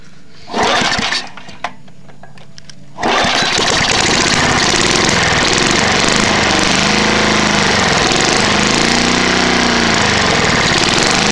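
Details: Trashpicked Tecumseh lawn mower, first start after sitting many years: after a few pulls it catches and runs loud, rattly, uneven with lumpy knock; worn-out engine, bad head gasket, carb and piston, burns a lot of oil.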